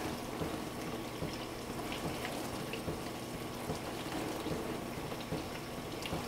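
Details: Frigidaire LFBD2409LF2B dishwasher, two years old (bought 2015), diagnostic test step 5 WASH HEAT, wash motor and heater activated for 75 seconds; steady spraying and sloshing over a low motor hum, no grinding or rattling. Normal wash cycle.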